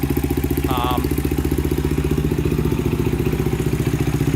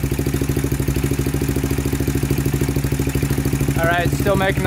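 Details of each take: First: 2000 Honda 400EX quad, cheap eBay piston and cylinder, valves in spec, cam chain just tightened: steady single-cylinder idle about four beats a second, only light normal valvetrain tick; normal idle. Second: 2000 Honda 400EX single-cylinder with cheap eBay piston and cylinder, idling after valve adjustment (0.004 in intake, 0.005 in exhaust), steady light tick about two and a half per second; loose cam chain rattle.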